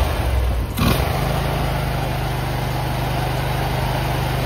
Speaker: Start the engine and let it idle for a few minutes. If it is purring like a kitten, test it to ensure everything is fine.